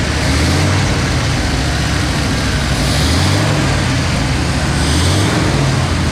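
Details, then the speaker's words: 1956 Ford Fairlane garage find, first start in 35 years after carburetor rebuild; loud, steady low V8 rumble with no misses, knocks or surging; normal idle. "sounds good"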